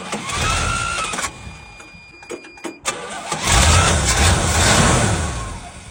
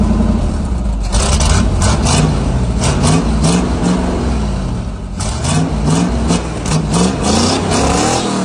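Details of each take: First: 1977 Chevy/GMC C7000 big truck unrun almost 12 years, brand new carburetor, possibly on 11-year-old fuel, just after starting: engine stumbles and surges unevenly, never settling; rough running, carb untuned, cause suspected. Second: 1977 Chevy/GMC C7000 big truck, sat almost 12 years, new carburetor, after rough carb tune: big petrol engine revs and settles repeatedly, clean without misses or stumbles; smooth running.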